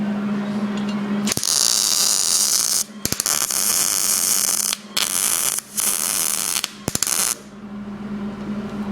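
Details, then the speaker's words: MIG welding sheet metal on a 1967 Mustang inner fender well, torch held too close even at an angle: harsh crackly arc in short bursts with pops and breaks, spool winding; burning through the metal. "now I was even at an angle right here even at an angle for cold and still blew through because now you're just too close you're building too much metal on it so you'll hear the spool wind because you're already through it"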